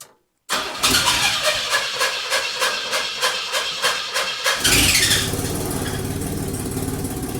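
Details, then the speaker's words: 1982 Chevy S-10 pickup, freshly rebuilt 2.8 engine, before tune-up: cranks and catches with a brief shriek from the belts, then runs loud, raspy and rough from a huge exhaust leak; far from roadworthy. "God, that sounds terrible. We had the mother of all exhaust leaks. We've got some shrieking belts, and it's just not anywhere close to being roadworthy."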